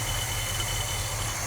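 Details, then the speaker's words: 1973 Chevy square body truck V8, sat 20 years, idling after spark plug wires were switched around: smooth, even low idle, steady exhaust hum, no misses, knocks or smoke; smooth as glass. "after we switch the wires around and the engine started up it amazed me how smooth it actually ran i didn't expect it to run that good no smoke no nothing just smooth as glass"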